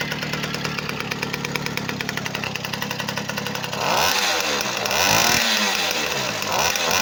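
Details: Moped two-stroke (B50) after full overhaul with new piston: crisp, even buzz at about four beats a second, then clean throttle blips; running perfectly, normal.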